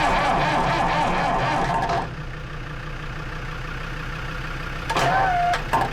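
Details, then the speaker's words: Lansing Bagnall Model A tug, Perkins P4 diesel, heat applied: the starter churns the engine, it catches a few beats, then drops back to cranking and won't run. It has compression; the cause is unconfirmed. "nearly she's trying you know she's trying oh dear sounds like she's wanting to go but it's not having it"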